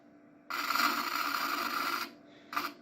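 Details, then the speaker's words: Apple Power Macintosh 4400 failing to boot: a harsh raspy buzz with a thin whine from the speakers for about 1.5 seconds, then a short repeat burst, with no video and no startup chime; likely busted, fault unknown. "this is the noise that is coming from it this is from the speakers so no idea what's going on i have no video signal whatsoever and i didn't hear the time as well so yeah probably this guy's busted"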